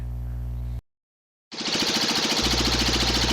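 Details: Cub Cadet Model 123 garden tractor single-cylinder engine run with muffler removed; loud unmuffled bark with a sharp knock about three times a second, knock persists without muffler, not from driveshaft area; cause still unknown.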